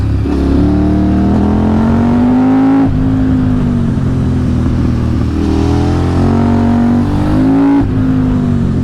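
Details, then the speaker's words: KTM 950 SMR V-twin after carb sync and rejetting (175 front/180 rear mains, 45 pilot, 2.5 mm float, fuel screw 2.75, needle 4th from top, rebuild kit): smooth, even, strong pull with no stumble; normal acceleration, perhaps slightly lean on deceleration. "now it's pretty perfect very even it sounds great"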